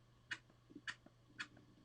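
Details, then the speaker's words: Home-modified pneumatic switch being pressure-tested with outlets blocked, using a small pump. Faint sharp ticks about twice a second in a quiet room as the pump stalls against the switch; holds pressure without leaking. "See, this is the noise I want to hear. This is the noise I want to hear"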